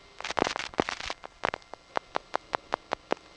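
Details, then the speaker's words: GEdney 9 panel telephone office, Brooklyn NY, November 1977: a burst of clatter settles into crisp, evenly spaced clicks about five per second; normal revertive pulsing as the calling panel office's sender selects an outgoing trunk. "That's a typical sound we'd hear when our panel office from which we're calling is selecting an outgoing trunk."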